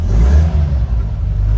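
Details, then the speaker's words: Unrestored 1969 Toyota FJ40 Land Cruiser, 28,967 miles, cold; carb jetted up for ethanol fuel. Deep, clean rev rises and falls crisply with no stumble, pops or knocks; it responds well. "I jetted up the carb a little bit for ethanol fuel. Response is fantastic."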